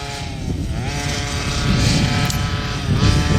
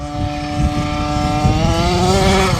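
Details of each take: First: OBR 46cc two-stroke with silenced pipe in an upgraded Losi 5T 1/5-scale truck, in cold weather: it blips cleanly from idle to high revs and back with no bog. Healthy, crisp running. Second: OBR 46cc 12hp two-stroke gas engine with silenced pipe in an upgraded Losi 5T 1/5-scale 4x4 RC truck, first track run at half tank; high buzzy note climbing with throttle but blubbery and unclean; carburetor needs tuning.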